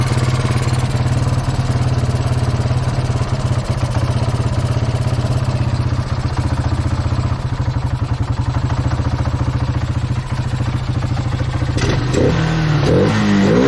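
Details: Kawasaki Bayou 220 ATV, sat about 8 years, helmet-cam test ride after line and air-filter work: steady single-cylinder thumping with even firing pulses under light riding load, no misses; all gears work, no bogging, runs healthy.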